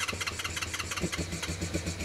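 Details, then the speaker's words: Honda VFR400 after its blocked carburettors were stripped, cleaned and rebuilt, started on a booster pack. Starter whirring, then uneven firing catches into a rough low idle: engine starting after carburettor cleaning. "that sounds favourable. Don't want to overheat the starter motor."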